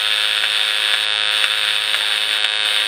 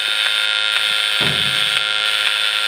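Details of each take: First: Cheap PWM solar charge controller in full-charge mode, heard via receiver; steady hissy buzz with fast clicks, then a bright stacked tone bursts for five seconds roughly every 20–30 seconds. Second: Cheap Chinese PWM solar charge controller heard via a radio receiver, clicking about four times a second: normal switching during bulk/full charge with an inverter load drawing the batteries down; no clicking when floating; extra hash probably from the modified square-wave inverter.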